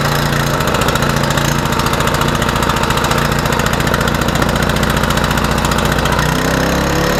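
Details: Troy-Bilt 2800 psi pressure washer engine after a mini clean of its gummed-up, flooding carburetor: loud, steady small-engine chatter holding an even speed with no surging or stumbling; no more fuel leaking; runs cleanly.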